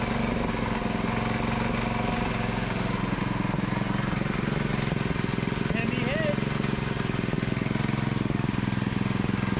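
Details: Predator 224cc Max Performance engine with milled, ported HEMI head and stainless valves, first run after rebuild, choke on: quick, steady single-cylinder beat with no misfires, knocks or surging; running normally.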